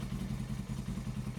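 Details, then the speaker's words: Suzuki GS500 twin, unridden for several years, on first start at service; lumpy, uneven idle with a missing beat every cycle, running on one cylinder; heat gun shows one cylinder cold, not firing. "sounds like it's running on one cylinder so we get our little heat gun to the temperature of that left cylinder"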